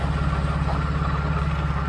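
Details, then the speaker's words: 1993 Mercedes 600SEC V12 with straight pipes, long-sitting, just started: even idle with faint steady whirring tone; water pump pulley not running straight, noisy, could fail any moment, to be replaced. "making a lot of noises this can fail any moment and that's very pulley right here it's not even running straight noisy yeah absolutely to be replaced"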